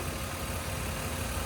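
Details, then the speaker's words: 1998 BMW E36 323is coupe, 5-speed, 221k miles, one owner, hood open on an icy morning: even steady low six-cylinder idle with no misses, knocks or ticks; super smooth and healthy. "super smooth like i said"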